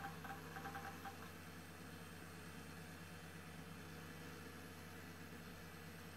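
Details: Old Highscreen Allround retro PC from an eBay classifieds ad, restarted after a reset: quiet, steady hum and whir with a few soft clicks early on, no grinding or rattle; normal fan and drive noise.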